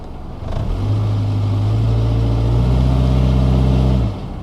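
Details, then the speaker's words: 2000 Toyota Camry four-cylinder, power-braked in drive then revved in neutral before repair: revs climb with an uneven beat, about four stumbles a second; cylinder 4 and random misfire from worn spark plugs and leads. "I'm power braking the car with it in drive. Let's try a neutral. That was a Misfire, but it didn't pick it up."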